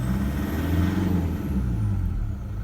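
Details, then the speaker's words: Toyota Prado 120 with 1KD-FTV diesel, cold, during injector diagnostics. Cold revving with a deep even rumble and only mild injector clatter, normal noise for a cold engine; stated injector load spec is 11 to 16. "it's about what they normally sound like so it is normal to hear a bit of noise when they're cold so don't panic"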